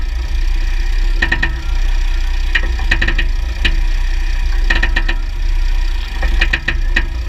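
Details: 2009 Jeep Grand Cherokee WK 3.0 CRD diesel, Quadra-Trac II, GoPro on skid plate: quick clusters of three or four metallic clicks every couple of seconds over diesel drone on load change; driveshafts OK, front diff bushes and transfer case oil changed; cause unconfirmed.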